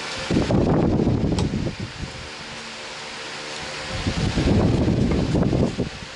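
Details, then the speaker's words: Britânia fan just after its motor was rewound, before varnishing, running on high speed: a steady motor hum under the rushing airflow with no rubbing, scraping or rattle, running normally. "Velocidade forte, média e a baixa."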